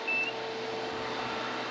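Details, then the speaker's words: Homemade TIG welding water cooler at startup: short high-pitched chirp over steady pump hum, the no-flow alarm sounding until water starts moving, then stopping. "you'll hear the alarm as soon as I fire it up but as soon as the water starts moving the alarm goes away"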